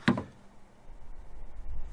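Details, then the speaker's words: Foxpeed 2500A 21000mAh portable jump starter connected to a three-quarter-ton truck battery: one short sharp click, then only faint room hum. The booster has switched on and is ready; the truck then started. "i think i heard there's a little click"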